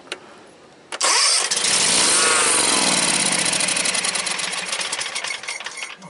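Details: John Deere X300 rider with no spark and no fuel-solenoid action. With the time delay module's black wire disconnected and fuel added by hand, it cranks briefly, catches and runs steadily; the time delay module is suspected as the fault.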